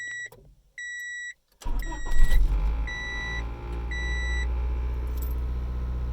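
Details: 1995 Honda Civic EX manual, 206,000 miles, which shut off while driving; after replacing the ignition switch: a few dash chimes, starter catches quickly, smooth steady idle; a clean, normal start.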